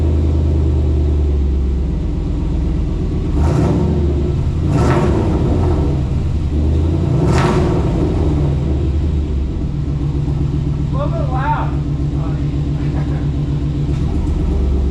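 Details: 2000 Chevy K2500 with a 350 small-block V8, just fitted with a new no-weld DIY stainless exhaust replacing the rusted factory system; first start after the job, no check engine light. Deep, rather loud rumble with quick clean revs, no ticking or puffing; exhaust sounds sound.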